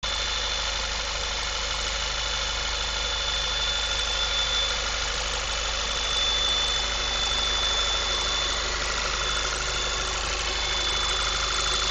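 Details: 2010 VW MKV 2.0 TSI, about 1000 miles, APR stage I and Neuspeed intake, warm after driving: steady high-pitched whine over idle; owner suspects failing water pump, not confirmed.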